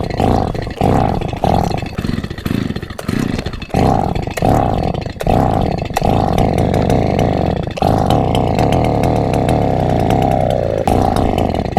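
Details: Borrowed chainsaw, not run in years and with multiple faults, hard to start: repeated pull-cord bursts each catch briefly into a buzzing rev then die; fires but won't stay running.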